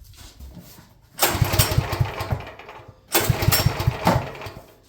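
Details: Champion generator that has sat at least a couple of years, owner suspects it is low on gas: two recoil pulls with quick chuffing compression strokes that never catch; cranks but won't start, stale fuel.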